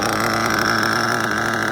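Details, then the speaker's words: Mugen MBX5 1/8 nitro buggy run after sitting 14 weeks put away wet, on a low first tank, low-speed needle opened a full turn to stop leaning; steady high-pitched buzz, no sag, misfire or surging; cleanly tuned. "Sounded pretty good. I think we're there."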